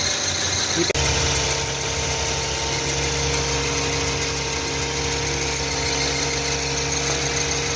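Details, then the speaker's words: 2009 Toyota Highlander/Kluger 3.5 V6 at idle: steady high chirpy squeal over smooth idle, constant with engine speed; noisy belt tensioner, noise stops when sprayed. "so this one had problem itself the build tensioner is a bit noisy so i'm going to replace today the dry belt and the belt tensioner"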